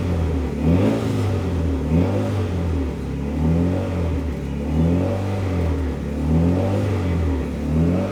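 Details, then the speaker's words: Fully built Mitsubishi Evo 9 during break-in after first start, warming to operating temperature (185–200°F), revved between 2,000 and 3,000 rpm in garage; smooth repeated blips with backfiring, steady fan hum behind, healthy clean-revving engine. "it sounds so good it's like backfiring and stuff now rant between 2 and 3,000 RPMs"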